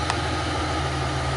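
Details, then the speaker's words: 1995 Chevy Lumina, being readied for the road after sitting about a year, started with the stock muffler removed (catalytic converter and resonator still fitted): steady, deep, loud idle with a throaty low rumble and even pulses. "well I decided to fire it up with the muffler off"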